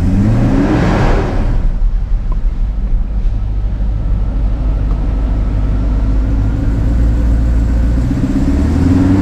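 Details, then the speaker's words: 1990 Mercedes-Benz 500SL R129 with 5.0-litre V8, needing restoration: catches with a rev flare, then a smooth but fast idle that won't settle; it starts unreliably and when warm sputters, misfires and stalls. High idle speed. "so yeah it sounds like a v8 all right but while the car appears to start all right there are some issues under the hood it doesn't start reliably all the time and when it does the idle speed is rather high"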